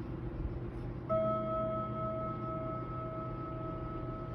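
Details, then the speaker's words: Kienzle Westminster chime mantle clock, unused for decades and recently dropped, pendulum barely swinging: a few soft chime strikes ring and fade with no proper Westminster tune, at the wrong times and on the wrong notes. "and it doesn't actually chime very well either and it sounds quite nice but it just doesn't do it in the right place at the right time or with the right notes very limited in fact"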